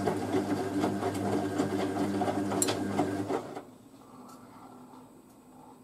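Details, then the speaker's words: Hoover A3060 Electronic 1100 washing machine filling with hot water: a rhythmic buzzing groan about three times a second from the timer motor, then it stops; normal timer groan. "Still taking hot water. You hear the timer groan"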